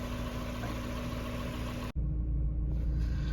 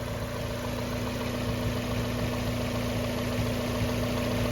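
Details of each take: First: 1994 Mazda Miata after winter storage, with throttle stop, idle speed and timing recalibrated the previous year: steady low even idle hum with no misses, knocks or surging; idling smoothly. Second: 1994 Mazda Miata first start after winter storage: steady idle with a constant low hum that the owner hears coming from the air box; owner wonders whether a mouse got in, cause unknown. Humming noise at idle.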